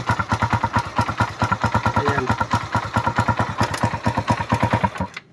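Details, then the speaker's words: Suzuki Raider single after overheating and dying; carburetor cleaned, filter, spark plug, regulator and battery replaced, oil added; one-click start, noisy engine with fast regular idle thumps and a light sharp tick on each beat until shutdown – engine ticking ("pumipitik"). "Pakinggan natin yung makina dahil maingay yung makina nito, walang natuyuan."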